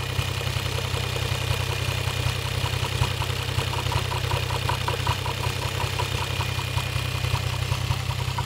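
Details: Toyota 1JZ-GTE VVT-i engine at steady idle with a sharp, regular tick-knock about two and a half per second; engine knock of unknown origin.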